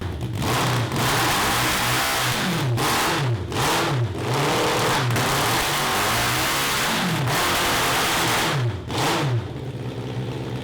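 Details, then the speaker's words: 1982 Honda CB750 carbureted four for a cross kart: repeated throttle blips climb in pitch, then stall and fall back before revving freely. It breaks up above about 4000 rpm, and the owners conclude it is a fuel problem. "so we got a fuel problem"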